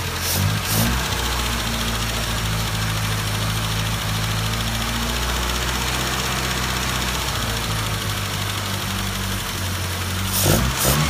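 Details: 1974 MG Midget with SU carbs at idle: slightly lumpy, uneven beat with no clean rhythm; running rich, carbs seemingly not balanced, owner unable to get mixture right.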